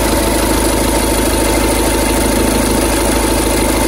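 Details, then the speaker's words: 2011 Skoda Superb 2.0 diesel, engine CFFB, at idle: rough, scratchy rhythmic thumping from the belt area, about two or three a second; worn auxiliary belt tensioner, wobbling and moving sideways, replaced with new tensioner and belt. "the first day that he bought I saw the car in the evening it was making a noise and we could tell there was coming from the tension and then when he brought the car here the next day that noise changed"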